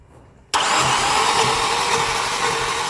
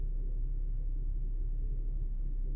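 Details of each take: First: Starter cranking on a 2015 Infiniti at 123,000 km with a shaking engine, misfire despite new plugs and swapped coils; compression test shows cylinder 2 has almost none, weak pulses with no jerk; a valve may have rotated. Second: Infiniti QX70 (2015), 123,000 km / 77,000 mi, after valve clearance adjustment for tight valves causing shaking and misfires; timing chain stretch not critical: very quiet, smooth low hum with no stumbles or ticking; normal idle.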